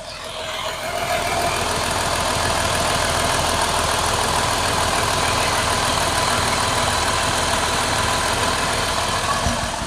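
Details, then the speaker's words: Chrysler 3.6L Pentastar V6, microphone held near the valve train: steady idle with a light, fast ticking; owner blames improper oil specification, and it quieted after a change to Valvoline Restore and Protect 5W-30 synthetic. "I'm going to try and hold the microphone over here so that hopefully you can hear the valve train ticking with this"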